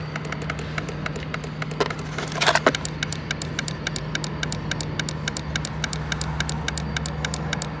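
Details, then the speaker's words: 2006 Mini Cooper S, supercharged, not starting: sharp, fast clicking about five times a second from an engine-bay fuse/relay box with nothing operating; one relay was found pulsating and warm. "you guys hear that something is clicking in here but it's like nothing is happening and then it stops which is very odd"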